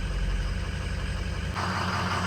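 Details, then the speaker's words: 2003 Ford 6.0L diesel after replacing two failed injector O-ring seals that caused hot no-start: steady low even idle rumble with no misses or knocks while warming up; engine running smoothly after repair. "Truck is running, as you can hear, and these are the two seals that failed on it."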